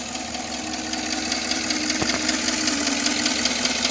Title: Tahoe still noisy after lifter replacement